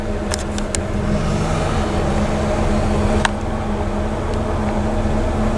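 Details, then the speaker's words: 1975 TEC Lark motorhome, Ford E350 chassis, 460 CID V8, C6 transmission, after heat shielding fuel pump and lines against vapor lock: hot restart without gas pedal, even low idle, steady hum, no stumbles or misses; runs smooth. "I'm not even going to step on the gas, which means I should be at a super slow idle. I am. Start it up. Run smooth."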